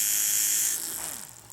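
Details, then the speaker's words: AHM GP18 model locomotive motor reinstalled after cleaning, run on power with bushings making contact: high, even whir holding steady then winding down smoothly; runs smoothly. "look at that can you hear it here how smooth it's running yeah"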